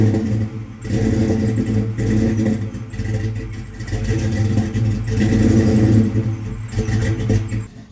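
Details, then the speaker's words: Procharged 1996 Mustang GT with its tune chip unplugged, kept alive on the pedal: surging, sagging, uneven running with pops and heavy backfiring. Battery terminals are broken and a ground wire is cut. Cause unconfirmed; plug wires verified correct. "We can obviously hear the car backfiring like crazy."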